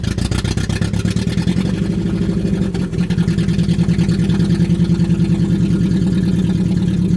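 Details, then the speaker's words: Budget Mercedes-Benz four-cylinder, just refuelled to over half a tank, grounds checked: uneven, lumpy idle stumbling about two to three times a second, not firing on all four; cause unknown, rewiring to the ECU plug is suggested. "do you like that sounded like four almost for a second but definitely not poor right now"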